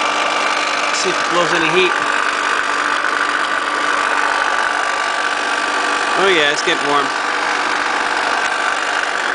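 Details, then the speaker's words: Vintage Lady Sunbeam hair dryer bought used, before cleaning, blowing warm air: a steady, even rush of airflow with a faint constant motor hum and no rattles or scraping; runs healthy. "I used to like to listen to the sound of it it just sounds so cool when it starts up"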